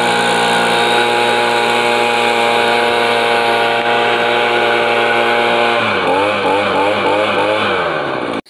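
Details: Echo PB-2100 handheld two-stroke blower after replacing a cracked primer bulb that caused a no-start: steady high buzzing note holding even, then a few throttle blips before shutoff; runs cleanly, normal running.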